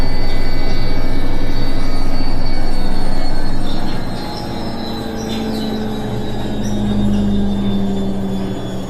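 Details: Indesit washing machine on the final spin: steady rumble with a thin, continuous squeal on top.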